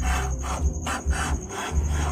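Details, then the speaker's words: Soybean (tofu) stone grinder after V-belt change, hand-turned during gap adjustment: rough rasping scrape about twice a second as stones rub, set too tight; too tight overheats the soy milk, spoiling boiling and causing clumping, so loosen slightly. "ada dengar suara gesekan, itu mungkin sesuaikan ya, sesuaikan saja, jangan terlalu mepet teman-teman, nanti ser kedelainya itu akan panas, jadi nanti jelek waktu merebusnya itu jelek."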